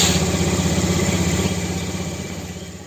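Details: Honda Vario 110 scooter with a faulty electric starter: the engine idles with a steady, even low putter of about four beats a second; normal idle.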